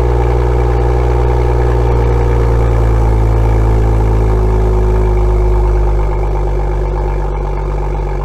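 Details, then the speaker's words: BMW M2 (N55) with M Performance exhaust, cold start with the exhaust tips removed: loud deep rumble settling lower in pitch, no metallic buzz or rattle, showing the tips caused the vibration noise. "all right so as you've heard no metallic vibration noise was presence meaning that the tips must cause this noise"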